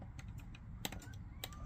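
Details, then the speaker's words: Pre-2012 caravan heater, thermostat dial turned at 2000, 500 and 1000 W settings: sharp dry clicks over a low hum as the heating element switches on; fire working normally. "and we should hear that clicking and again that's just a good indicator to begin with that the fire is doing what it should be doing"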